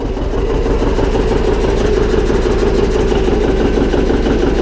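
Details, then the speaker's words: John Deere 720 two-cylinder diesel tractor after repair: steady, even idle about three beats a second with a faint light scrape on top; flywheel rubbing slightly on the flywheel cover. "holy back if you hear that noise the flywheel is scraping on here a little bit fiery was rubbing on the flywheel cover just a little tiny bit"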